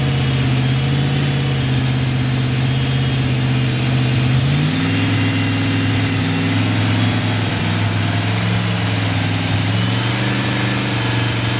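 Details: Chevy 283 V8 after fixing a big vacuum leak from an unplugged vacuum port (mixture had been richened and idle screw adjusted to compensate); restarted, it settles into a fairly steady idle, brief pitch rise when blipped, then holds even with no stumbling. Normal idle.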